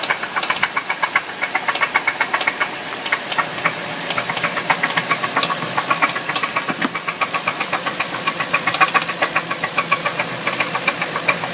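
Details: 4-litre V8 engine running: sharp, somewhat uneven metallic ticking, roughly three to four per second, rides over it; a top-end knock of unknown cause.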